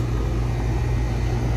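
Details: Residential central AC outdoor unit after capacitor testing for compressor startup noise: smooth, even low hum with no clatter or starting strain; condenser running normally.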